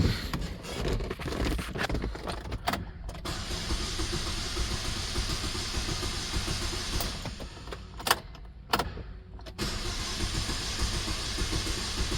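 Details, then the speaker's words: 2009 Saturn Aura 2.4 Ecotec, cranks but no start despite a replaced fuel pump (pump heard running): starter grinds the engine over at a steady rhythm with no firing and never catches; cause not yet known. "So they have put a fuel pump in it. And it doesn't start still."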